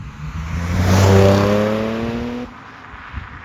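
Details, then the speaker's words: Audi S4, supercharged with Quattro all-wheel drive, pull in first gear on the open road on old winter tires: clean, smooth, evenly climbing engine note with no knocks or misses; normal engine acceleration. "it sounds so good too I mean it sounds like it could sounds so good like it needs modifications soon but you can hear the potential oh yeah this thing is great"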